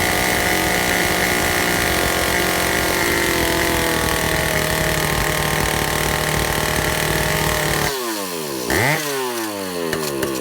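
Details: Vintage Stihl chainsaw, second test run after fixing air leaks; carb high 3/4–1 and low 7/8–1 turn out, target idle 1,800, top max 10,000 rpm: buzzes steadily at part throttle, ragged idle, never reaches full revs; cause suspected, unconfirmed.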